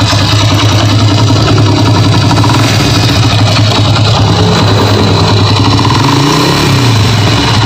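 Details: Honda Grand motorcycle (Indonesian), engine started for diagnosis: steady single-cylinder idle with a coarse, uneven rattle underneath, roughness from inside the engine bottom end; cause unconfirmed, customer brought replacement internal parts.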